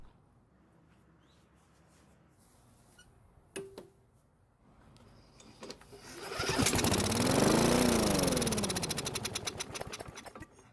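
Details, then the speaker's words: Free, non-starting Bolens mower with old bad-looking gas, blade still on: after fuel poured into the carb throat it catches, runs a few seconds, then dies, confirming working ignition and enough compression, so the engine isn't worn out. "it started and ran for a few seconds so that confirms that this engine has a working ignition system and enough compression from the engine which means it's not worn out"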